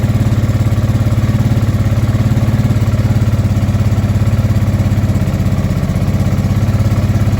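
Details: Honda Deauville NT650V5 V-twin after carburetor teardown and new carburetor insulator rubbers: deep, fast-pulsing idle, slightly lumpy and held high on choke; running, but the timing still needs adjusting.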